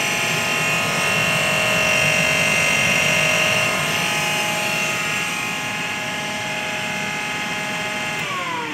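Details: AEG Lavatherm 56800 tumble dryer after a PCB relay swap fixing a one-direction motor fault: a steady, even motor hum and constant whine that winds down smoothly at the end, with no grinding or knocking. The motor runs fine.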